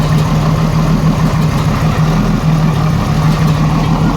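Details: 1987 Jeep Cherokee Renix 4.0 inline-six, uneven lumpy idle with one cylinder dropping out every few beats; cylinder 6 exhaust rocker moving less, sticking valve or bad lifter, smoothed by loosening rocker bolt, slight tick remaining.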